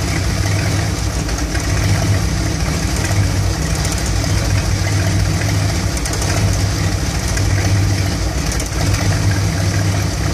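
Warm V8 idle sounds uneven, with a lumpy, loping beat and irregular stumbles rather than a smooth even rumble; rough idle, cause unknown.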